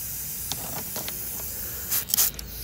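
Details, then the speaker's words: 2015 Dodge Durango Limited: faint, steady high hiss with short spray bursts as coolant leaks under pressure from a cracked radiator, confirmed by bubbling soapy water; radiator then replaced. "so that was a that was a pretty good one guys we weren't getting any leaks and I could hear hissing so we used the old soapy water trick and check it out indeed we have a blown [Music] radiator"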